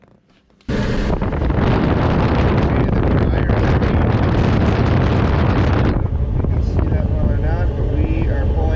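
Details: Whirlpool electric dryer WED4800XQ0 with no-heat complaint, after new timer switch installed, heating element drawing about 22.37 A: steady, even tumbling rumble with constant airflow rush, no knocks or squeals; normal running.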